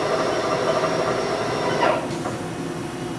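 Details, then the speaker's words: Haas VF-4 vertical mill, 12,474 spindle hours, pre-warmed spindle run from 750 up to 2,000 rpm: steady whine rising, then a quick pitch drop and tone change as the 2-speed gearbox shifts cleanly; normal. "Like I said, it does have the 2-speed gearbox in it, so you should hear that switch over. We'll go to 2,000 RPMs."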